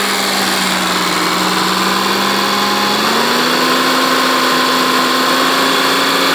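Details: First start of a freshly built Renault Dauphine 1093-replica engine for a Renault 4: 904cc, reground camshaft, domed pistons, balanced, modified cylinder head; even, steady idle that lifts smoothly as revs rise; runs cleanly.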